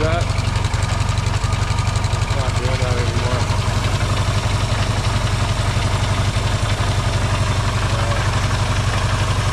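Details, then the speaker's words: Yamaha XS650 twin, engine just reinstalled in frame and restarted to check its burning-oil problem, started with a little choke: steady, even idle around four pulses a second, no misses or stumbles; runs quieter and better than before, healthy. "man it sure runs a lot better now that's that's great"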